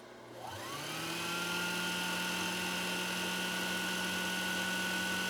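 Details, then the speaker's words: 1960s Husqvarna Viking 6440 Colormatic sewing machine after parts and adjustments, bobbin winding engaged so needle drive disengaged: motor spins up under a second to a steady even hum, holding speed cleanly; healthy. "so if i step on the foot controller right now you're going to see this spin but you're not going to see the needle move i hope"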